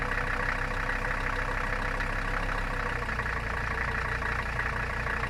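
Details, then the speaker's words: Mercedes 300CD diesel idling cold, block likely sub-freezing: lumpy, uneven clatter hunting between about 1000 and 600 rpm instead of settling; owner guesses just cold, possibly fuel delivery issue, unconfirmed. "what it's been doing whenever it's cold um it's kind of lopey it like builds up to like a thousand rpm and then it drops off to like 600."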